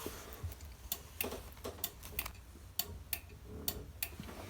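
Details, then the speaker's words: Whirlpool WFC7500VW2 washer water level sensor, blowing into its hose: sharp irregular clicks as air pressure changes, showing the pressure switch works properly. "you'll hear a clicking noise"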